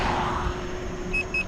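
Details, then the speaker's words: Gotway MCM4 electric unicycle riding at about 13 mph: two short high-pitched beeps over riding wind; speed alarm tripping, rider suspects first/second alarm settings were left on in the app. "You can hear the beeping going on, and I'm doing like 13 something."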